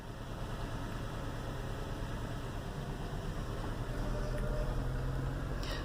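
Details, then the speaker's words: 2008 Acura TSX 2.4 petrol engine idling with a low, uneven, lumpy rumble and shaking; code P0302, cylinder 2 misfire, from a failing ignition coil. "en primer lugar ese auto se siente la temblorina"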